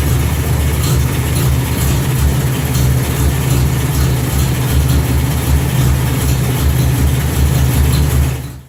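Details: 1955 Ford 860 tractor started after replacing the battery box, cables, hold-down and governor parts: steady, deep, even rumble with a loping beat and no knocks or misses. Normal running.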